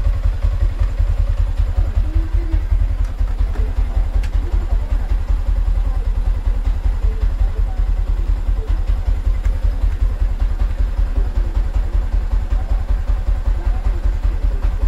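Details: Sniper 155 single-cylinder motorcycle at 33,856, after valve clearance adjustment at first tune-up, tensioner okay: steady, even low thump at about 160 beats a minute with no ticking or clatter. Valvetrain sounds healthy.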